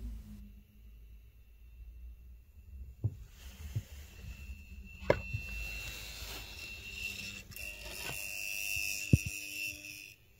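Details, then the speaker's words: Honeywell 2-port V4043H powerhead zone valve motor on central heating, cover off: strained electric buzz, thin whine and clicks as the motor stalls short of full travel and fails to flip the micro switch; intermittent fault, fixed by replacing the powerhead. "So what seems to be happening is that the motor has engaged. It's quite noisy when it tries to do it and it doesn't flip the micro switch to turn the heating on."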